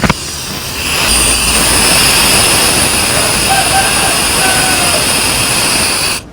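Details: LPG gas stove regulator seated on a new cylinder: a click, then a loud steady hiss of gas leaking at the regulator seal, the most common leak, before an emergency fix.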